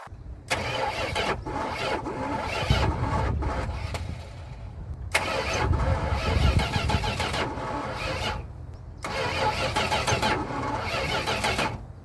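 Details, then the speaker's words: Junkyard 1973 Chrysler Newport 400 cu in V8, fuel poured into carburetor: three cranking bursts dragging against weird heavy resistance, battery not dying, no catch; owner suspects timing; slow, labored cranking. "see it sounds like it's trying to ignite but not in the way you think you notice when there's no gas or any fuel it just constantly cranks but the moment you put fuel in there you hear like a weird resistance as if the battery's dying but the battery is not dying"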